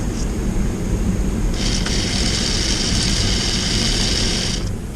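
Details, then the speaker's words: 1994 Lionel RS-3 locomotive motor run directly off a battery, compared with its twin: a steady high whirring hum with a faint rattle, running noticeably slower; possibly a factory-mismatched motor, though both motors are strong. "But if we hook them up with the battery, you can hear the difference. This is the fast one and this guy is the slow one."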